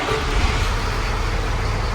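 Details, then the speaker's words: 2005 Mercedes Vario diesel work van, 20 years old, under 90,000 miles, cold start after waiting for the dash lights to go out: even, low diesel rumble settles straight into a steady idle with no misfire or knock; healthy cold start. "She sounds like a beauty."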